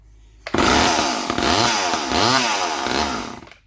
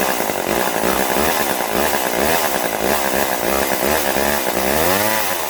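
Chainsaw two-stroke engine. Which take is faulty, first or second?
first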